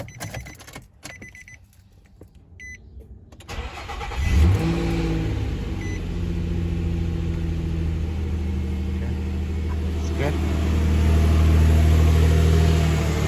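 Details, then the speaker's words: Nissan Frontier/Pathfinder/Xterra (2005-2021) started after serpentine belt tensioner replacement: quiet, then the engine catches around four seconds and settles into an even, steady idle with no belt squeal or tensioner chatter; belt drive running properly. "I want to make sure that everything's running properly, the serpentine belt, everything's all good."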